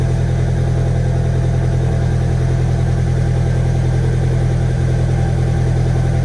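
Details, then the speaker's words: VW 1.8T first start after rebuild, warm-up with oil smoke burning off: deep idle pulsing about three and a half a second, slightly lumpy like a light misfire; cam timing one tooth retarded (17 rollers). "at least sounds a little weird almost like it's like misfiring a little bit"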